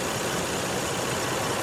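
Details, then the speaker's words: Car warming up after restart; had sat 11 days and cranked oddly, popping until it started, owner leans toward a leaky injector, no codes. Even, steady idle, exhaust normal, all cylinders firing; normal idle. "Exhaust sounds completely normal. All cylinders are firing without any issue whatsoever."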